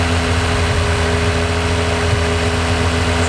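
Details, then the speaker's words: Toyota MR2 swapped with Lotus Evora V6, first drive, low on fuel, no leaks seen, coolant fine: steady idle with firm low hum sitting higher than normal; owner suspects the drive-by-wire, not confirmed. "It seems like it's idling a bit high. I don't know if it has something to do with the drive-by-wire."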